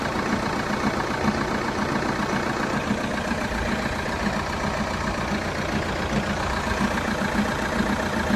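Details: 2012 Vauxhall Astra 2.0 CDTi diesel at cold start idle: steady rattle and light knock repeating about two to three times a second. Engine knocking at cold idle.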